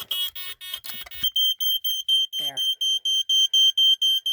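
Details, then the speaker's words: Code One React smoke alarm, small and somewhat beat up but working: shrill high-pitched fast-pulse piezo beeping about four times a second, steady and strong; alarm sounds normally. "Sorry about that at first. It's got a fast pulse pazo."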